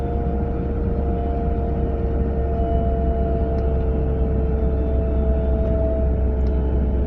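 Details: A 940 at about 30 to 40 mph: two steady mid-pitched tones sit over road rumble from the passenger side; the source of the whine is still unknown.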